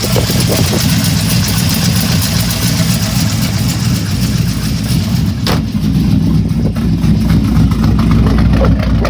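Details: LS3 V8 idling with a deep steady rumble and a faint, loosely regular tick riding over it; owner wonders whether lifter or rod knock, cause unconfirmed.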